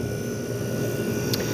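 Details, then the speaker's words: Compressor of a 1973 GM Frigidaire 11,600 BTU slide-out window air conditioner (compressor dated January 1973) running. Even, steady hum with a faint constant tone, no rattles or knocks. Blowing ice cold, compressor sounds great. Normal compressor running. "but yeah it's blowing ice cold it's happy this compressor sounds great"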